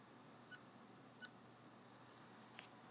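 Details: Dell Precision M6400 laptop making two short high-pitched chirps about three quarters of a second apart in a quiet room; cause unclear.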